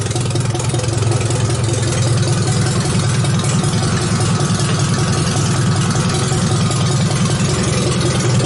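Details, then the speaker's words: Supercharged 2.5 L MerCruiser four-cylinder in a Briggs-body T-bucket, ice cold and unstarted all weekend, fires without pumping the gas. Steady, even idle with a low rumble and the air-ride compressor humming in back; the engine is running healthy. "You can hear the compressor running in the back over here."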